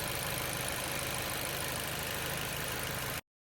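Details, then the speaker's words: 2016 Chevy Malibu 1.5T idling after head gasket replacement for oil leaking from head oil passages, warming up while coolant is monitored; even steady idle, no knocks or ticks, healthy. "All right, well, it's running. I'm gonna let it come up to temp, monitor coolant level, make sure it doesn't run low, and yeah, there we go."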